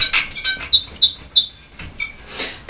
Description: After that it made many loud sounds; squeaks, creaks